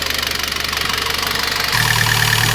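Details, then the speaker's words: Citroën C4 2.0 engine: fast even ticking about thirteen a second over idle, rising with engine speed; exhaust camshaft side of head receives no oil, causing hydraulic lifter tapping from oil starvation. "não lubrifica a parte interna do cabeçote do comando e não tem óleo para lubrificar o circuito que ele fica batendo"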